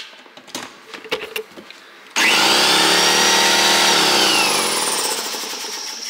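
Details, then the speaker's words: Shop air compressor filling an 80 gallon tank, relocated behind a wall; handling knocks, then a loud steady hissy roar close up, only barely audible from the other side of the wall; normal running. "we are literally on the other side of the wall it's so quiet you can hear it but barely"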